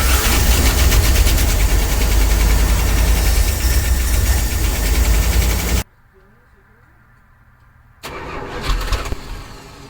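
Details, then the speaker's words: 1965 Dodge A100 van that sat for years, with fuel poured into the carburetor bowl and an aftermarket manual fuel pressure regulator fitted: it catches and runs rough about six seconds, then dies because the fuel pump is not delivering, fuel starvation. "Oh, it's running. Well, no fuel pumping yet. Let's see if we can dump a little bit more fuel in there."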